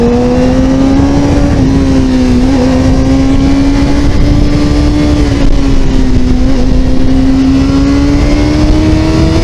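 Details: 2000s Honda/Suzuki motorcycle at about 22 mph, first gear around 4500 rpm: engine pulls up with slight dips and wavers in pitch, stuttering before picking up, also in second gear; stumble under acceleration, cause unknown.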